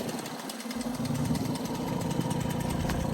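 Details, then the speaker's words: Restored MBK 51 Club two-stroke moped, first start with a brand-new engine, carburetor not yet tuned: it catches and runs at a steady buzzing idle, slightly rough, with no more noise and everything working. "Premier démarrage, avec le petit feu, tout fonctionne, nickel. Plus de bruit, plus rien."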